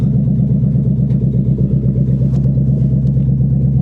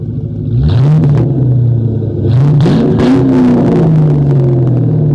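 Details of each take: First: 1997 Ford Mustang GT V8 running on bare exhaust manifolds only, no pipes or catalytic converters fitted, before SLP Loudmouth and BBK X-pipe install: deep, extremely loud raw unmuffled rumble with a lumpy low pulse while driving off the trailer. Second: 1997 Mustang GT just fitted with SLP Loudmouth exhaust and BBK X-pipe, before the K&N cold air intake, started on a cold day: deep even V8 burble with clean throttle blips settling smoothly; no check engine lights, sounds right.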